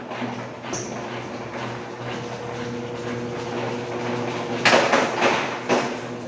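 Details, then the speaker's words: Brastemp BWK12 12 kg washing machine during spin: steady motor hum under irregular knocks and clatters from something loose inside the tub; drain pump ruled out, agitator and basket to be removed. "Ó, já dá para escutar os barulhos. É um barulho de coisa solta dentro do tanque,"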